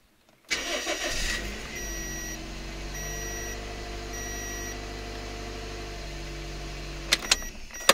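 Engine fires promptly and settles into a steady, even idle with no hunting, dipping or stalling; runs smooth and healthy.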